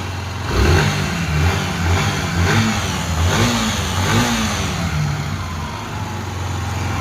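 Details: Yamaha YBR 125 single-cylinder, cold, after engine rebuild and balancer repair, revs up and falls back smoothly with no knock or rattle under the exhaust; healthy engine.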